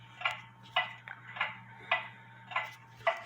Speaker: leave it there for a little bit it sounds like it's in beat it could be off a little bit